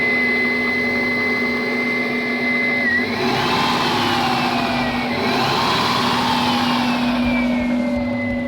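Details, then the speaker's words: 1998 Subaru Legacy after marsh water damage, with a replacement ECU fitted: even, steady idle with a faint whine rising and falling as the alternator load kicks in; misfire gone, no heavy white smoke, normal idle after repair. "sounds like it's running pretty good now running pretty smooth [Music] my mist seems to be gone yeah it's running real smooth now alternators kicking in"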